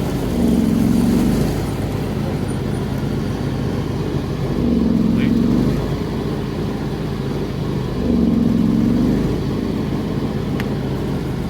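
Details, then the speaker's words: John Deere X340 mower with intermittent rough running and stalling after minutes, despite carb rebuild, new fuel pump, ECM, plugs and filter: engine hunting, swelling and sagging every three and a half seconds, choke used to keep it running; owner next suspects ignition. "And also showed something, that at the end I was basically using the choke to keep it from stalling."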